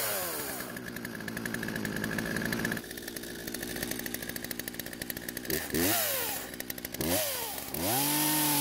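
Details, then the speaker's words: Poulan chainsaw revived from storage with fuel drained, carb adjusted, chain tensioned and lightly sharpened: two-stroke buzz rises and falls with throttle, pulling steadily through the cut; normal running and cutting, idle still needing adjustment. "surprisingly besides needing to adjust the idle speed to keep the chain from moving while off the trigger it seems to be running and cutting just fine now"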